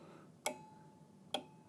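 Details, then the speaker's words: Marley LLC water level control panel being tested card by card: the reference probe (13) is jumpered to the high-alarm card (18). Two crisp clicks about a second apart in a quiet room as the relay pulls in and drops out cleanly, with the green light on. The card is working. "You see the relay contacts change state. You can hear it."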